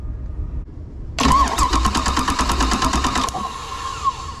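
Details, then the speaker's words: GM 2nd-gen HEI ignition test on a known-good system, key on, cranking about two seconds; fuel pump hum stops after cranking, confirming a good DREF signal and pickup coil. "hear that fuel pump cut off that tells me i've got a good deref signal"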